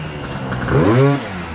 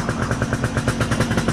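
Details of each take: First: Gilera Runner 180cc two-stroke scooter with a newly installed Smart Carb SC2, mixture leaned out; a quick blip rises and settles to a steady, slightly high idle. Normal idle. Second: Gilera Runner 180cc two-stroke scooter with a newly installed Smartcarb SC2, mixture leaned out five more steps: fast, even pulsing at an idle sitting higher than normal because of the leaner mixture.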